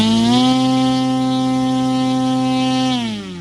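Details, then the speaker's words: CY Models 100" Cessna Bird Dog RC plane with electric conversion, full takeoff-power run on the ground; loud, steady high motor tone that winds down smoothly and sounds strong. It runs normally. "Yowza! That is strong."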